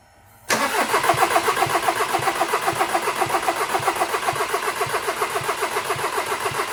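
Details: Seat Leon 1.6 TDI diesel after fitting a new timing belt kit (belt had come off): even starter cranking about four compressions a second with no firing, injectors unplugged; turns over freely, cranking no start.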